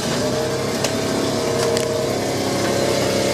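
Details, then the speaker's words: 1975 Volvo Swedish military 4x4 missile launcher with a B30 gasoline six, on a ride along: pulls away with a steady mid-pitched hum, smooth with no stumbles; it used to die when pulling out. Normal engine running. "that sounds actually pretty good yeah um sounds really smooth"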